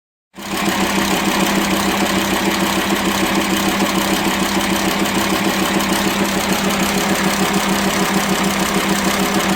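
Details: VW Transporter T5 2.5 AXD/AXE diesel at idle: fast steady top-end clatter about three beats a second; worn, broken camshaft and tappets from lack of lubrication, with rough idle, low power and metal dust in oil.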